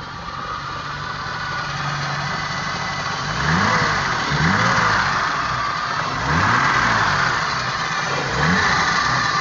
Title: M30B35 E30 - problem solving - whining noise